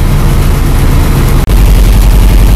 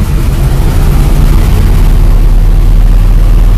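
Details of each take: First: Carbureted car engine started on starting fluid, then warmed up: a deep, lumpy idle with a brief dropout instead of an even idle. The carburetor is gummed up and starving the mixture, as expected, and the owner anticipated a surging idle. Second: Carbureted car about 5 hours after cleaning its carburetor with starting fluid, engine ice cold: a deep, fairly steady low rumble with a slight lope, holding idle on its own. It sounds better than before and idles fine.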